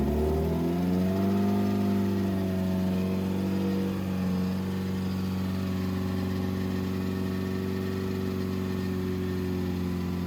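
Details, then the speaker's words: 2007 Subaru WRX with STi engine swap, first official startup after install, run around 2500–3000 rpm for about 15 minutes to break in; steady, even fast-idle note with no knocks, misses or surges, smooth and healthy. "so we ran it at like 25 3000 rpm for about 15 minutes to break it in and as you can hear right now it's running pretty smooth"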